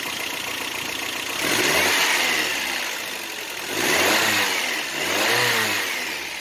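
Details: '88 Toyota Pickup, 22R Aisin-carburetor four-cylinder, after replacing worn fan clutch (caused overheating at low speed/idle): smooth idle rising and falling cleanly on light revs, no knocks or squeals; healthy.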